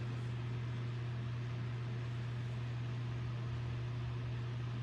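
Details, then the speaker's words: Homemade BreezeWay desk fan Model BW-6F10 after a swap to a bigger blade, switched to medium speed: a strong steady low hum with a smooth air rush, free of ticks or scraping, noisier than the small blade; normal running. "tle noisier than the small blade. The small blade is pretty quieter. But this one here is more bigger, so now it's gonna make a little bit more noise than the small blade."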